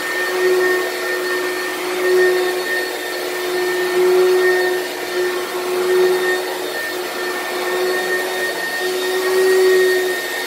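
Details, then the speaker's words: Used lightweight Oreck from Facebook Marketplace: a steady roar with a thin, slightly wavering high tone on top. The weird noise is suspected to come from the brushroll or the fan; unconfirmed. "so there's some sort of weird noise I don't know if that's coming from the brushroll or from the fan or what"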